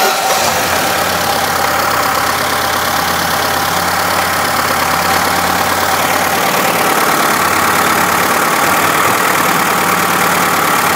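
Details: Engine idling unevenly with a harsh metallic clatter, about three hits a second, after a large steel bearing ball was dropped into a cylinder through the spark plug hole and the plug refitted; the piston was undamaged beforehand. Foreign object in cylinder.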